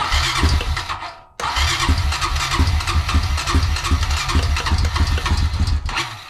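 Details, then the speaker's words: 2004 Honda Rancher 350 ATV after a carburetor replacement (the old carb leaked from its overflow tube): the single cylinder starts, dies, then catches with a lumpy beat. Idle is set too low and is raised with the plastic knob on the passenger side. "yeah it's gonna need to idle up so in order to idle this thing up it's over here on the passenger side there is a knob plastic knob in here you can reach in and turn it"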